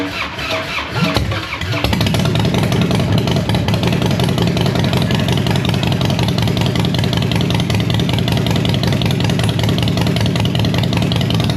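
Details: First fire of a freshly home-built Harley V-twin, after priming: brief cranking then it catches into a loud, steady, even lope through open loud pipes; fresh engine running fine.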